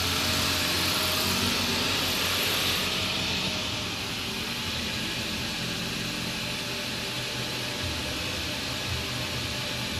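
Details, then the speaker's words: First start of a newly installed engine after cam/crank relearn, cold, belts off, no coolant but oil filled, a little smoke expected; catches and settles into a steady, even idle under loud hiss, no knocks or misses; normal. "Just running. I don't have nothing hooked up down here. The belts aren't on, and it's dry of coolant, but there's definitely oil."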